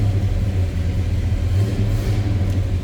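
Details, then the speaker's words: 1972 Chevrolet K20 Cheyenne Super 4x4, big-block V8 with true dual exhaust and X-pipe, just after an easy cold start: deep, smooth, steady low rumble with no ticks, knocks or stumbles; normal idle. "That fires up easily."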